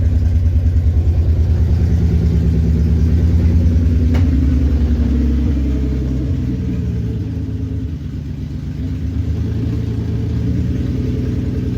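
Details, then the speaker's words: Nissan 350Z, revived after two years sitting, following days of troubleshooting including wiring and a ground strap fix: steady, even low idle with a slight settle after a light rev, good oil pressure, sounds healthy. "Happy to say that it's got good oil pressure, it sounds healthy"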